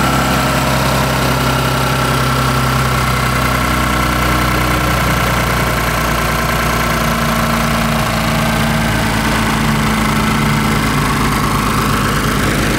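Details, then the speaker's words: Ford Mustang with swapped 3.5L EcoBoost, direct plus port injection, idling on E85 with a guessed startup tune: even low rumble, no ticking or stumbling, slight speed drift, quieter and smoother than on 91 fuel; normal idle. "it's looking really good sounds quieter it's a little running a little smoother than it was with the 91 in here"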